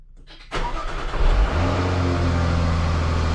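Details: Jaguar 3.0/5.0 supercharged engine, first start after fitting an aftermarket crank pulley, with an open air intake: quick crank, clean catch, flare, then a steady, even idle, no engine light. Normal start and idle.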